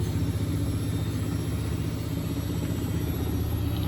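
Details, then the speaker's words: Bosch WFP3300 washer with new bearings and door seal, citric acid test wash, on uneven ground: deep uneven rumble with loose thump about four times a second, machine rocking; unbalanced spin from very few rags. "Of course, it'll be an unbalanced load because there's very few rags in it."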